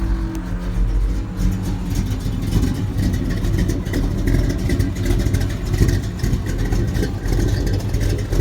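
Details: Old Chevy V8 with Comp 280H cam and aftermarket heads, mini starter: deep heavy rumble with choppy uneven lope at idle, running strong; normal cammed idle.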